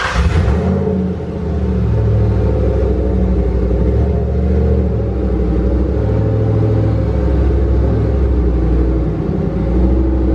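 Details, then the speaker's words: Turbocharged Mustang Bullitt (On 3 Gen 1 kit) after exhaust leaks were fixed: deep steady exhaust rumble under load, no leak ticking, turbo now spooling below 4800 rpm where it was slow before. "all right guys the car is actually way better I haven't heard turbo noise like that in this car in a long time it's actually spooling below 4800 rpm"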